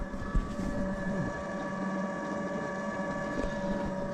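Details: Motorhome fresh-water pump, system unused for years, after clearing the airlock, water tank running low; constant low steady hum, no gurgling or surging, pumping normally, fault was the airlock.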